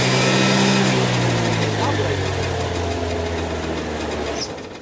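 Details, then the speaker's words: Peugeot Speedfight two-stroke moped: starts instantly, then the buzz sags and drops in pitch instead of climbing on throttle, bogging down; cause unknown. "But no. Ready? That's bogging down. Hear it? That's bogging down."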